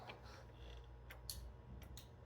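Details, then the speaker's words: Data East Star Wars pinball playfield motor tested in diagnostics: faint relay clicks over room hum, no motor spin-up. Relay works but motor doesn't; next step is checking for about 28 V AC in and out. "okay well I've got something here you can hear hear it so the relay is working the motor is not working"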